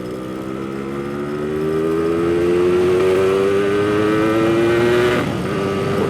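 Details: Old inherited Yamaha RX King two-stroke after new lower engine block and piston, on a road test: crisp note climbing steadily in pitch with throttle held open, pulling cleanly with no stumble; healthy engine under load.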